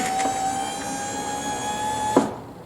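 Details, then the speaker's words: 2000 Corvette C5 hardtop, new GM driver-side window regulator and motor, bench-tested before glass fitted: steady electric motor whine the full travel, then a single soft thump at the stop; no grinding; normal power window operation. "and it stopped where it should and it didn't grind"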